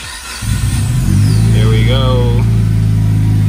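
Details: Car with E85 fuel and a turbo, first start after engine bay reassembly with crank position sensor reconnected: cranks briefly, catches cleanly and settles into a steady, even idle with no misses or knocks; healthy start.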